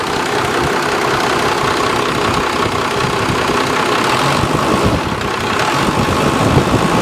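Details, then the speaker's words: 1995 Dodge Ram Cummins 12-valve P-pump diesel, 172,000 miles, first start after sitting abandoned in the desert: steady, even clatter with smooth low rumble, turbo spinning, no knocks or misses; 40 psi oil pressure, 14 volts; healthy normal idle. "Turbo spinning. Beautiful."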